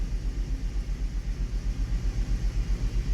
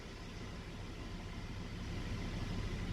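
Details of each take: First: Hummer H3 engine idling with one ignition coil unplugged to simulate a dead coil: engine rattles, uneven pulsing shake about four times a second, more vibration, and a weird dip when accelerating; misfire and rough idle. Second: Hummer H3 petrol engine at idle with all ignition coils good: a steady, even low rumble with no misfire or stumble, a normal idle.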